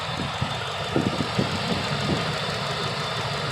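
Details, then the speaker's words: 22-year-old Lincoln Town Car Signature after new throttle position sensor, MAF, plugs, wires, coil pack and belts; very quiet, even idle, soft low hum with a few faint clicks, feels like it's off: normal idle. "This car, you can't tell it's running. It feels like it's off."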